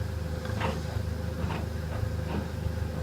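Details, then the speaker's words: White Knight 447WV 6kg vented tumble dryer (Polar White) on its reverse tumble test: a low, quiet hum with soft swishes about once a second as the drum turns, nothing harsh; normal, quiet tumble dryer operation. "It's nice and quiet."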